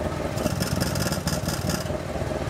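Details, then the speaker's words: Honda VFR 1200 at idle after refitting the rear exhaust silencer: a steady, even idle with a muffled exhaust and no extra rasp, confirming the exhaust valve is closed. Opening it manually would be heard immediately. "donc on entend bien qu'elle est bien fermée."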